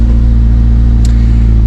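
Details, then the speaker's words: Renault Express (Extra) van, cold start warming up on choke in neutral: loud, deep, throbbing idle with a raw blatting edge from holes in the exhaust; needs new exhaust and a full service. "It needs a full service as you can probably hear. Sounds a bit meaty. It does need an exhaust. It's got holes in the exhaust."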